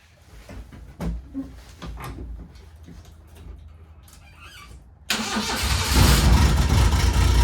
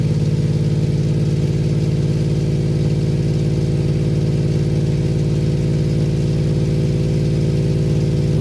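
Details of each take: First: 1993 Suzuki Carry mini truck, cold start with the straight muffler before the exhaust replacement: the starter cranks, then a loud, raspy, unmuffled exhaust at a fast high idle, which the owner blames on cold weather. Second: 1993 Suzuki Carry mini truck, small three-cylinder idling steadily after replacing the rotted, likely original exhaust with an aftermarket muffler and flex pipe; deep, smooth drone, more enjoyable than the raspy old muffler, no ticks or leaks.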